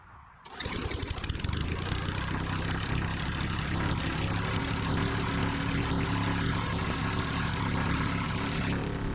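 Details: Sears Eager One lawnmower, Tecumseh single-cylinder, after makeshift rod-knock repair: primed 3 pumps, throttle halfway, starts and settles into a steady even drone with no knocking, may smoke from oil added to rings; normal running.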